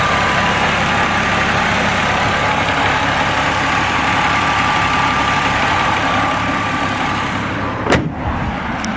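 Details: Possible rod knock: a steady idle with an even, repeating knock about three times a second from inside the engine. The cause is suspected, not confirmed.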